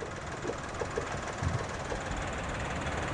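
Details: 2016 Suzuki Karimun Wagon R GS three-cylinder at idle, checked when buying used, listened to up close: quiet, even hum with no tapping, knocking or other noises; the engine sounds very smooth, normal idle.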